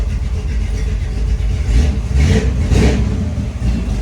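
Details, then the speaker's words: 1937 Ford engine being revived on the farm, just started: swells up and settles back a couple of times, pulling cleanly with no knocks or misses; healthy revving, gauges working. "Sounds good. Gauges are working."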